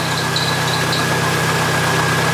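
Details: Jeep idling after replacing worn rocker arms and pushrods to cure a ticking noise: steady, even idle with a smooth low drone and a faint constant whine, no ticking standing out. Normal idle.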